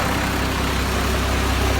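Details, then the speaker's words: Cheap long-stored 12-valve Cummins diesel running: deep, rough idle with a steady breathy chuff under it; excessive crankcase blow-by. "Hear it blow by? I don't know if I stopped. Throw in the gear."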